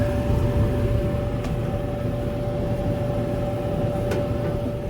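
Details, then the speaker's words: Used gas clothes dryer converted to wood-boiler hot-water heat, first run with water flowing through the lines: steady even whir with constant mid-pitched hum over low rumble, no rubbing or knocking; good airflow. Normal blower operation. "oh yeah we got good air flow here check [Music] that blowing good"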